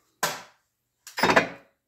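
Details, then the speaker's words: EGO two-stage snowblower, drive works but auger won't throw snow: two sharp clunks on engagement with no auger spin-up; augers now locked and unpinned with play; auger clunks but does not turn, binding cause unknown. "you can tell these have play in them and you can see the auger's not pinned and you can hear the clunking right at first I thought it was hitting one"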